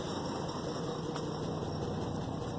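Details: 2003 GMC Envoy 4.2 V6, misfire out of the blue after exhaust manifold replacement, heard at exhaust: uneven, stumbling low putter with engine shaking at idle; cause turned out to be a bad coil pack, plugs also replaced.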